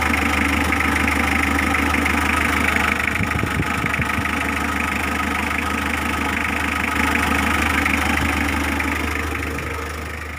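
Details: Mitsubishi L300 diesel, restarted while fixing a glow plug relay that clicked "klik-klok" with the engine running: it settles into a steady idle with a fairly even clatter of about two beats a second. Normal idle.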